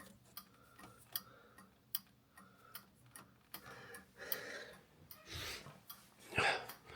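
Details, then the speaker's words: Jaguar MKII under reassembly, ignition on: left turn signal flasher gives light, regular ticks about two per second in a quiet workshop; lamps flashing, left indicator working normally. "I can see over there on the garage door, that is flashing, and I can see on my bench there, that is flashing. So we're good on the left turn signal."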